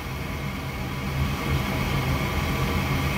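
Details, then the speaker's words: Gas furnace that lit then went out, just after its dirty flame sensor was cleaned: the thermostat calls for heat and the inducer fan runs with a steady, even low hum and soft pulsing while the igniter warms. Normal. "okay so we just turned the thermostat on it's calling for heat the inducer fan just turned on then in a second back here we should start to see an orange glow"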